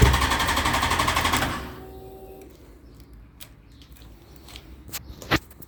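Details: Yamaha FZ1 after a valve clearance job, with a brand-new battery: a fast clatter of about eight or nine clicks a second for a second and a half when trying to start, then it stops; won't start, cause unknown.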